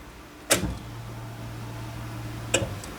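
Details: The 90 after restoration, key-on with fuel lines reconnected to the rails: a click, a steady low electric hum under two seconds, then a second click; the fuel pump priming normally, with no leaks or spray found afterward.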